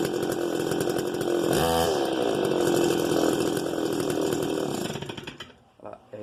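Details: Stihl MS 290 chainsaw, starter cord had snapped: steady high buzz with rattly edge and brief rev; abnormal noise apparently inside the engine, possibly clutch assembly, cause unclear.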